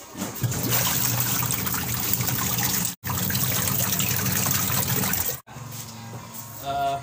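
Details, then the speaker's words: Twin-tub washing machine after gearbox repair, drain test: steady, even gushing water with no sputter or leak. It previously would not drain because the drain cable had snapped inside, and it now drains normally. "sebelumnya airnya nggak keluar tadi ya karena Kabelnya putus kabel untuk pembuangannya itu putus di dalam sekarang udah normal udah normal lagi"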